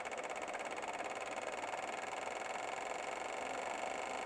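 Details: Fuel injectors on a cleaning/test bench, strobe lights on: fast, even clicking pulses, rate creeping up as the test ramps; injectors working normally.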